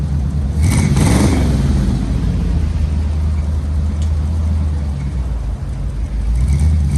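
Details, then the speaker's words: 1964 Chevy C10 V8, running after sitting 7 years: rough, uneven idle with an irregular stumble, not firing on all cylinders; a little smoky while the rings reseat. "she's definitely missing out she's not hitting on all cylinders right"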